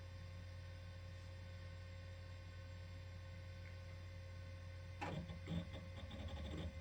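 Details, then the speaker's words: Celeron 333 tower with 512 MB PC100 RAM trying to boot Windows 98: steady hum, then irregular rapid clicks and chatter from the hard drive; unclear whether the boot fault is hardware or software. "the condition of the hard drive has me wondering because it makes it pretty hard stopping noise"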